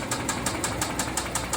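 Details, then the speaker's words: Rod bearing knock on a 2014 Hyundai Santa Fe 3.3L V6: sharp, regular knocks about five or six a second over a quiet idle, deep from the bottom end. Crank bearing failed, crankshaft worn; later reground during the rebuild. "I took out this engine because it was making a a noise while it's running was a knocking a noise coming from the bottom of the engine can hear that that's the sound of a Dying"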